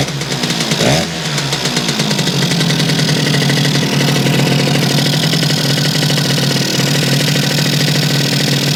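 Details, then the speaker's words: Yamaha YL2C 100 Trailmaster two-stroke, just restarted after reassembly, on choke: a cold ring-ding idle burbles a bit unevenly after a blip, running rich on leftover premix. "I'm not seeing that spark coming from here yet. Probably will do it as it warms up. Still got a little premix in it."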